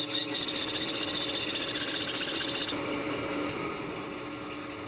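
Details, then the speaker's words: First boring cut on a lathe, zero-rake tool in a steam locomotive rod bearing brass whose drilled hole was pushed off-center. Harsh scrape pulsing unevenly about three times a second as the bar bites one side; interrupted cut. "For the first cut, I have to make sure this doesn't grab onto the hole. You can hear how far out that hole was pushed when I drilled"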